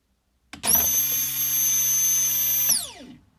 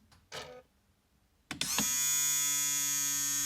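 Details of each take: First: 1998 Jaguar XK8 fuel pump, submerged in fuel and run on test after removal from the tank: sharp high whine starts instantly, holds one pitch about two seconds, then winds down; pump sounds off, likely weak (car allegedly burnt through two pumps). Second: 1998 Jaguar XK8, new replacement electric fuel pump wired into the circuit outside the tank: clean steady high whine spins up, holds about two seconds, winds down smoothly, sounding totally different from the old in-tank pump. Normal fuel pump run.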